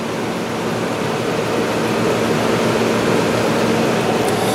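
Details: Hotpoint/GE Quiet 8,400 BTU air conditioner (rotary compressor) after cleaning and reassembly, already cooling fast: a steady, even whoosh of fan air over a smooth low compressor hum, with no rattles or knocks. It is running normally.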